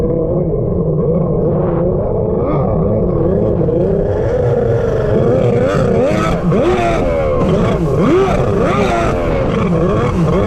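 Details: Freshly rebuilt two-stroke X2 jet ski riding on the lake: the engine note wavers, surges and bogs, never pulling cleanly. It runs rough and rich despite leaning the carbs.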